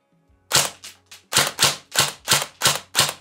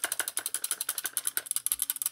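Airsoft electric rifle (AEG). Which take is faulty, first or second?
second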